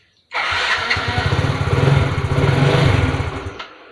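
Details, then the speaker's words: Fuel-injected Yamaha Fino scooter, long parked and hard to start, cranked with the ignition lead wired straight to the spark plug, bypassing the plug cap: the starter churns with uneven thumps that nearly catch; owner suspects that cap, and the plug is rusty. "อ่านี่ครับเริ่มมีอาการจะติดเลยนะ"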